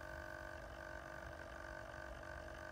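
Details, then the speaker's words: Mercedes GLA, warm cabin, noise from behind the instrument cluster near the key: faint steady whirring hum with a thin high tone, squeal gone when warm; failing cabin air temperature sensor aspirator fan, repaired under warranty. "they called it an aspiration fan they were they've found it there's a little round grill near the key and behind that is a temperature sensor and they there's a fan there to disperse the air"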